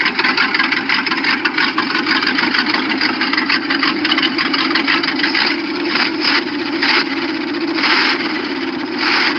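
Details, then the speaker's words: Carbureted V8 in a dump truck with the cylinder 2 and 7 spark plug wires crossed: rough, uneven running with irregular pops, backfiring and fuel spitting out of the carburetor, a misfire. "this video is actually with my stupid ass having cylinder number two and cylinder number seven spark plug wires Twisted so you saw the fuel shoot out the carburetor and you hear it backfiring"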